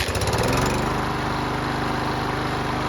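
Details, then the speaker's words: Yard Machines mower that wouldn't start, refitted with a new spark plug and its gasoline returned with the water removed: it started right up. A crisp, even single-cylinder beat holds a steady speed with no misses or surging, so it is running healthy. "So it started right up, and it sounded pretty good too."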